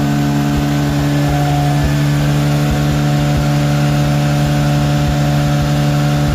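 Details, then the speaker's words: Mazda RX8 with 13B REW turbo swap, noise retest after failing an engineering inspection, 3-inch exhaust with original mufflers: steady, even, deep drone with no misses or rattles; measured 90.2 against a 90 limit. "So we'll lower that down and we'll get an idea on how much noise we've taken out of the system."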